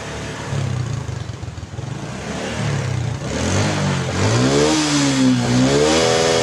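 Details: Honda Karisma single-cylinder motorcycle, reassembled after heavy smoking (piston found still good, cause another part): revs and settles smoothly, pitch tracks throttle cleanly, no knocks or rattles; remaining smoke at high throttle from leftover oil in exhaust.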